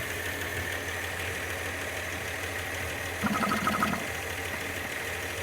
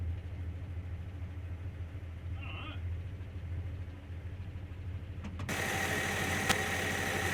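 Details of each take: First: Engine just rebuilt with head gasket, reconditioned head, water pump and new hoses; uneven, irregular pulsing idle with a rougher burst midway, vacuum leak suspected, carb secondary found full of fuel/broken: rough idle. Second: First start after head gasket, reconditioned head, water pump and hoses replaced: low even pulsing idle, then revs up and holds, no heavy knocks or clatter; running, nothing sounds terrible.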